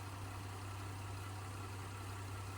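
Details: Flooded Cadillac STS bought at auction: steady, even low idle hum with no knocks, misses or chatter. It idles smooth and healthy.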